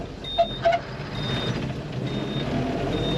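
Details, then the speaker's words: 1941 Chevrolet pickup, 3-speed manual, left turn signal on at idle; high buzzing tone pulsing about once a second, turn signal warning buzzer working normally. "It'll let you know when you have your turn signal on. So, this is the left turn signal."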